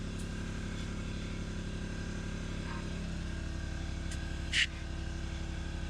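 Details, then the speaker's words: Large shop air compressor heard behind a closed door: low, muffled, steady drone with even pulse; running normally. "You can still hear it, you still know it's running, but at least you can hear the conversation in the room. There's still a low drone, but that deadens a lot, muffles a lot of the sound, so it's not so bad."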